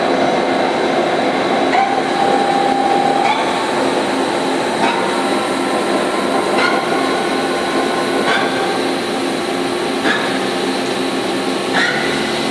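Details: Used CNC machining centre, 6,000 RPM spindle stepped up from about 1,500 to 6,000 RPM with minimal load on the load meter. The "wing wing" sound is braking between speed steps. A smooth whine climbs in pitch in steps, with no grinding or knocking; healthy.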